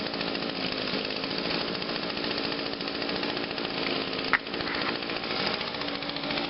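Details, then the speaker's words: 2009 Echo PB 251 25.4cc handheld leaf blower, choke and about five primes, fired on the first pull, steady high buzz, even and clean with no misfire; normal two-stroke run. "look got to love your Echoes that's another one that fired on the first pull"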